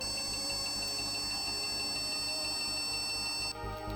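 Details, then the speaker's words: Retro PC build with an AMI BIOS board and no video on CRT or LCD, onboard or add-in graphics: a long run of quick, evenly spaced high beeps, more than any listed code. The board is judged dead; the power supply and monitor later proved fine. "that is a lot of beeps, more than what is mentioned in the AMI BIOS troubleshooting code, so I guess this board is just dead."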